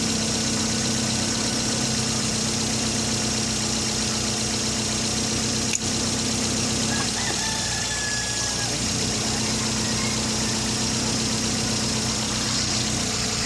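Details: Toyota Vios small four-cylinder being checked for hard starting via the fuel pressure regulator check valve: a steady, even idle with a light regular patter and no misses or stumbles; it runs healthy.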